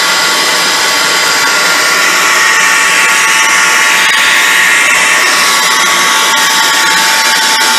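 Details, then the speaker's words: Small band saw after fitting a newly made gearbox, function test: steady high-pitched whir at constant tone, no knocking or grinding; saw and gearbox run smooth and sound good. "I bolted it to the saw and did a function test, and the saw runs and sounds good, so we're going to call it done."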